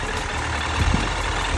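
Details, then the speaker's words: 2008 Suzuki GSF1200S Bandit, last carbureted version, partly warmed engine at idle: steady, even, smooth low beat, no stumbles or pops; valves unadjusted for four seasons, owner hears no valve knock; normal idle. "звук ровный не знаю клапана Стучат не стучат я их у четвёртый сезон Катаюсь я их не регулирую не хочу туда лезть всё нормально"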